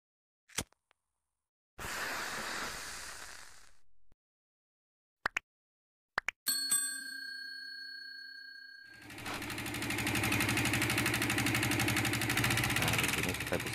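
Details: Yamaha Vixion Advance, before repair: harsh, rapid metallic ticking like it's falling apart; oil not reaching the head destroyed the rocker arm shaft mounts and valve tips.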